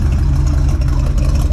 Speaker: all right still running good topped off the anny freeze topped off the transmission it's uh warmed